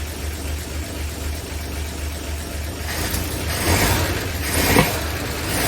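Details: 1959 NAPCO Chevy Apache 1-ton, rebuilt 235 six-cylinder, just after first startup with oil pressure and no leaks: steady low even idle pulse, no knocks or misses, some clatter nearby; normal idle.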